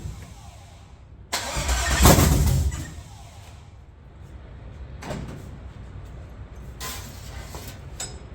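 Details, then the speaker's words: LS 5.7 V8 in a G-body El Camino on a budget Amazon Gen 3 harness: the starter spins briefly with an even cranking rhythm but the engine never catches; crank no start because the injector ground on the back of the engine was never connected. "I don't have the ground for the injectors grounded on the back of the motor. I neglected to do that."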